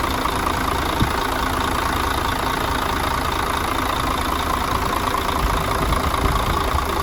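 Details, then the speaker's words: Mercedes Axor OM457 diesel on first start after a full rebuild for knocking, with fuel bled and new filters: steady, even low rumble with no stray knock. It later ran a whole day without problems. Normal idle. "поработал у нас вчера целый день поработал всё хорошо нареканий никаких нету"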